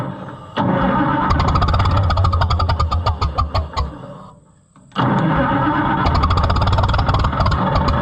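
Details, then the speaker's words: White 2-70 gas tractor, possibly flooded: long rapid starter cranking with a few catching pops that die away; nearly fires but won't run, ignition timing suspected off. "foreign so close I'm not convinced that the timing's right yet"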